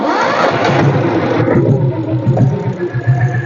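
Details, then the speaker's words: Restored Royal Enfield Bullet (diesel Bullet), electric self start: starter catches quickly, single settles into slow, steady thump without knocks or rattles; starts and runs healthily. "Next இந்த வண்டியை self போட்டு காட்டுறேன் பாருங்கள். இதையும் self போட்டு காட்டுறேன்."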